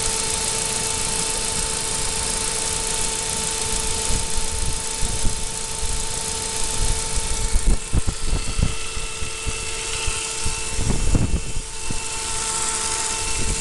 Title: Saab 9-5 b205 strange noise